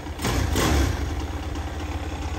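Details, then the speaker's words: 2022 X-Pro Vader Grom clone motorcycle after swap from stock 125cc 4-speed to ZS190 190cc 5-speed engine, Nibbi air filter, in neutral: quick, clean rev blip settling back to steady idle without stumbling; normal, crisp throttle response, much better than stock. "good deal really good throttle response"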